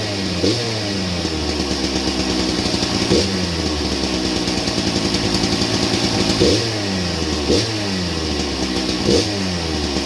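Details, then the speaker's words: Old Husqvarna 268 chainsaw, first start with chain very loose: fast idle with metallic clatter and loose rattles; broken chain brake band lying against the clutch. "I'm willing to bet about 90% of that racket's right here. Yeah, the chain brake band's broke and laying right against the clutch."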